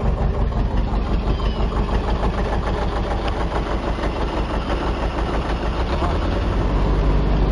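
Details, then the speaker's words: Chevy S10 with worn manual transmission, engine running: rough, uneven idle with a deep repeating thump under the running note; owner says rod knock. "uh engine sounds like [ __ ] see if I can get it to diesel I don't know if you can hear all that rod knock"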